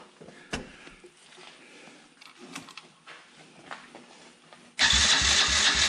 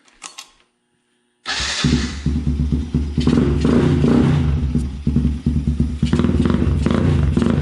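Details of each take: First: Can-Am DS90X quad after head porting, cam timing and Hetrick kit intake, carburetor and exhaust, choke on, fuel on, air filter off: loud cranking that never fires; no spark because intake-mounted ground wire was left off. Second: Can-Am DS90X after porting head, setting cam timing and fitting Hetrick kit intake, carburetor (not yet fine-tuned), exhaust and clutch springs, first start after intake ground reattached: catches, crisp steady single beat revving cleanly; sounds meaner, healthy.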